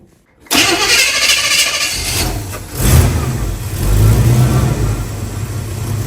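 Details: Rebuilt Chevy small block 350 V8 in truck, timing tuned, shimmed starter, before test drive: starter cranks briefly, engine catches at once and settles into a steady, even idle with a couple of light blips; normal start and idle.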